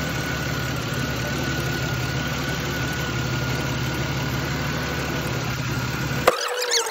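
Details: 2003 Chevrolet Venture after ignition coil replacement fixed a misfire: even, steady idle with no stumbles or skipped beats; runs smoothly now.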